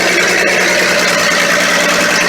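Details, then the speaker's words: Ford military tug, first start after 11 years unused, mixed gas added: loud raspy hissing idle, exhaust leak at engine from missing manifold gasket (donut) and no exhaust fitted. "Ah, listen to that. Oh, we might have an exhaust leak."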